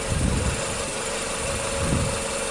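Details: 2007 Nissan Sylphy with MR20 engine, code P0304, loss of power especially with AC on, no check engine light, heard at the muffler: idle stumbles with uneven low thump every second; misfire on cylinder number four.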